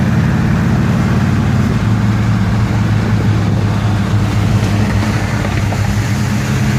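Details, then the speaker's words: 1969 Pontiac GTO V8, 4-speed, about 3.55 gearing, warmed up on a test drive: steady deep burble at cruise, even with no knocks or misses; engine running healthy. "now that it's warmed up we'll we'll pull off for a minute and let it rip one more time before we get back to the uh to the owner's uh lot car runs very nice"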